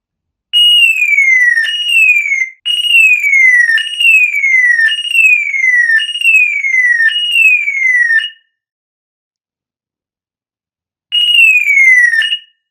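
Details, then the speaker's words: Old car alarm siren module, bench test after disassembly and repair, powered black negative and red positive, one of three signal wires grounded: loud piercing wail, evenly repeating falling one-second sweeps, clean start and stop; siren works properly. "ეხლა ავიღოთ სამი სიგნალის კაბელი, ავიღოთ ერთ-ერთი და დავადოთ მინუსზე. აბა, ოღონდ ძალიან ხმამაღლა უნდა იყოს წესით."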